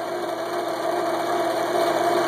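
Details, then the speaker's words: Jigsaw after replacing die-cast aluminum pulleys (about 1/8 inch wobble) with cast iron pulleys, adjustable lower pulley: steady mid-pitched hum, no thump or wobble; runs much quieter and stable. "the previous ones they had about an eighth of an inch wobble in it runs much quieter very stable very pleased with them"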